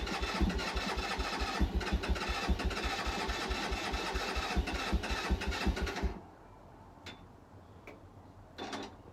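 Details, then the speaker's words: Keeway 125cc with Suzuki GN/GS engine, unstarted 18 months; six seconds of even fast cranking, spins freely, no catch; owner suspects dry carb; later fired with choke fully on. "not been started for 18 months so maybe the carb was dry at this point I'm not too sure"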